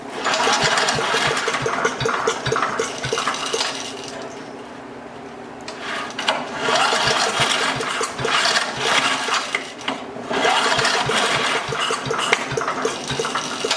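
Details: Craftsman 5 hp wood chipper, left sitting three years and previously jammed: the small single-cylinder engine runs again, chugging unevenly with some dips in level and quite smoky, but keeps running.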